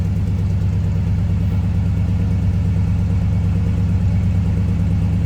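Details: 1965 Chevrolet Impala SS convertible, 327 V8 (suffix code believed 8A), recorded from behind the car: smooth, even low rumble at steady idle with no knocks, ticks or misses; normal healthy idle.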